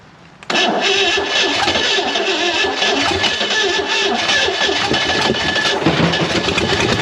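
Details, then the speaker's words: Long-abandoned Chevy inline-six, 230 or 250, rusted cylinders and stuck valves, first start attempt: catches after cranking and runs ragged and uneven with noisy top end; a valve was seen stuck; runs poorly, cause unclear. "i can't believe it even i mean it doesn't sound good and this valve is still oh wait maybe the compression pushed it back up"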